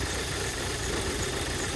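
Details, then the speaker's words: 2008 Audi A4 2.0T Quattro 6-speed manual from salvage auction, first start in very cold weather: rough, uneven idle with loping stumble in the exhaust beat; slight cylinder misfire at idle. "there we go fired right up sounds like it's got just a little bit of a misfire you can kind of see it so"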